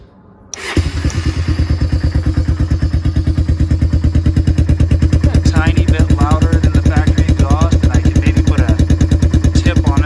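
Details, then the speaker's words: 1994 Honda 300 Fourtrax after exhaust repair using a tractor exhaust; even single-cylinder idle thump, a little louder than stock but not obnoxious, much quieter than straight pipe, no leak or ticking. "a little bit louder but not obnoxiously loud the straight pike was ridiculous"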